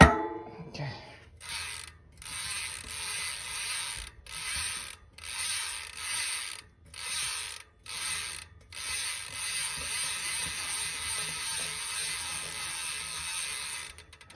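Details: Normal freehub ratchet on a Privateer 141 with a Shimano XT Microspline cassette, SRAM GX Eagle drivetrain and chain, after relubing: fast, even ratchet buzz in repeated spin bursts, crisp engagement clicks, no grinding; healthy and lubed.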